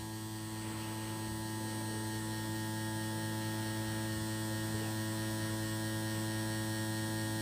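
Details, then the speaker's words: JGY 370 gear motor rated 20 RPM at 6V, on a table that reflects the sound, run at 6 to 6.5V: steady even low drone, no wavering or grinding; it measured 18.6 RPM, then about 20 RPM at 6.5V. Normal gear motor hum. "आ रहा है क्योंकि इस table के अंदर sound reflect हो रहा है"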